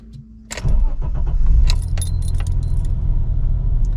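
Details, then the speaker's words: BMW E34 525i, M20B25 170 hp, 1990, 233,510 km, non-running, old Bosch idle actuator: fires first crank, flares, then sags to a wavering idle around 500–600 rpm instead of 800–900; idle control fault, cause unclear. "on peut voir le ralenti qui est un petit peu haut et puis qui se stabilise aux alentours des 5 600 tours donc c'est très très insuffisant on devrait être plutôt aux alentours des 800 900 tours"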